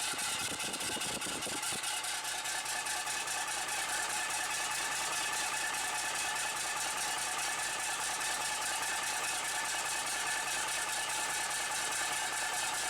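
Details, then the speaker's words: Bus diesel restarted after standing unrun for a week, with fresh fuel and a bodged wire: steady even idle clatter with uniform hiss, no knocks or misses, warming up; healthy normal idle. "Ignition on, fuel pump should have come on. And it's recovered. She's recovered."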